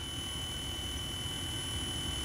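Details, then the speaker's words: Car stereo via 3.5 mm aux input: steady low buzz with thin high alternator-like whine, ground loop noise, before fitting a ZIOCOM ground loop isolator. "and if I turn this up you hear it has like a buzzing noise"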